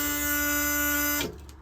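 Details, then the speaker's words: 1978 International Transtar II cabover, key on before first start after sitting, air brakes not built up; steady flat electric buzz for over a second then cuts off sharply; low air pressure warning buzzer. "Let's go up here and uh see what happens when we turn the key. We should get a low air alarm."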